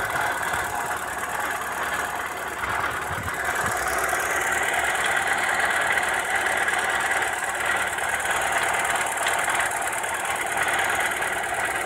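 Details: Opel Astra F 1.4 8v Si C14SE at idle: constant gritty whir and rasp with uneven light knocking, seeming to come from the lower engine; turned out to be a failed coolant pump, engine quiet after replacing it.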